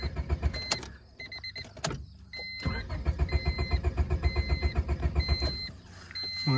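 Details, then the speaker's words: Honda Civic pulled from deep grass, nearly out of gas; starter turns engine about four beats a second for several seconds, a faint burp or two, never catches; owner thinks it may be a lost cause. "oh a couple little burps i think she might be a lost cause boys"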